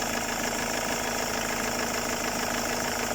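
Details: Ford 2.0/2.2/2.4 TDCi diesel (Mondeo) after EGR cleaning and manifold removal, listened at idle through a hose for turbo or vacuum leaks: steady, even idle with fine regular clatter, no hiss or whistle; no leak heard.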